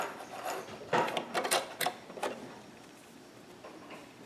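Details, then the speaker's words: Singer Ingenuity sewing machine after hook/bobbin timing adjustment fixed a jam, sewing a second pattern: quick, light stitching clatter in short runs that stops cleanly, no knocking or binding; working normal, a good fix. "Okay, there you go. So the pattern's better. Everything's working normal now."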